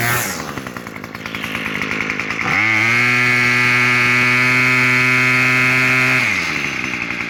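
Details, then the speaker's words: Small two-stroke weed trimmer, factory-set too lean and bogging and stalling on the trigger, after turning the H high-speed screw out about a quarter to half turn: idles, snaps cleanly to a steady high buzz, then drops back; runs smooth. "Alright, see how it's running perfectly smooth right now?"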